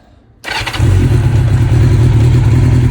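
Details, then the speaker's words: 1992 Honda Nighthawk 750 after shift shaft oil seal replacement (clutch replacement still due): starts within half a second and settles into a steady, even low burble; normal start and idle. "Yeah, as y'all can hear, sound nice."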